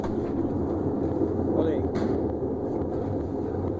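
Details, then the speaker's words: GE washing machine with loud spin noise, drum turned slowly by hand: continuous rough, aggressive grinding rumble. "ela faz barulho muito forte muito agressivo então nós precisamos mudar essa situação para que esta lavadora pare de fazer todo esse barulho"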